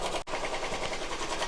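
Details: Royal Enfield single at idle with a fast, even mechanical clatter over the beat, apparently from the timing side; the mechanic is unsure whether it comes from the crank, timing gears, head, or poor oil supply, not confirmed.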